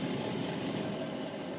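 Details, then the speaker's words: Ford Fusion diesel bought cheap: cabin heater blower running with a loud, steady, coarse rushing roar, far noisier than it should, almost unbearable; something needs sorting down there, cause unconfirmed. "the blowers are very noisy listen to this"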